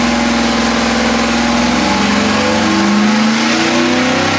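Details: 406 small block Chevy on engine dyno, pump gas, Jegs ported aluminum heads, ATM carburetor; clean rising roar as revs climb, no popping or stumbling; pull felt a tad rich; normal.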